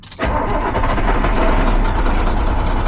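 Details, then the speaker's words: International DT466E diesel truck at cold start: it catches and settles into an uneven, stumbling, shaking idle, misfiring at low idle until warm, then smooth; diagnosed by buzz test and injector calibration without removing injectors. "Escuchen el misfayo. Escúchenlo. Así está temblando el motor."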